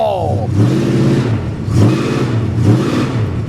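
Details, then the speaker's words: 1973 Plymouth Scamp flood car, automatic, four-barrel carburetor, just after its first start at the salvage auction: a deep, throaty rumble swells with repeated throttle blips and settles back each time. It pulls cleanly without misses, a healthy-sounding engine. "oh boy she sounds mean uh I'm not going to lie I'm a little I was a little surprised by that mik"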